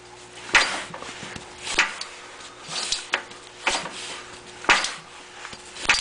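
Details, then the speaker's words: Briggs & Stratton ZH engine turned slowly by hand after repairs, with spark and compression present: a sharp knock about once per turn and no firing. Internal engine knock, cause unconfirmed; owner plans to pull the head to find it. "and that's just turning it over by hand but there's a a definite knock in the motor"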